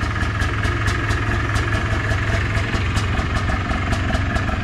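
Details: 2001 (possibly 2002) Polaris Trail Blazer two-stroke after new air or fuel filter and pull cord, brake and transmission fluid work: even, busy idle with a regular crackly beat, no hunting or dying out; idling fine.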